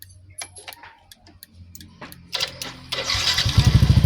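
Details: Yamaha NMAX after soldering the broken ignition key switch wiring (sudden shutdowns from accessory wiring): some clicks, starter spins and engine fires into a quick, even idle putter; starts cleanly and runs fine after repair.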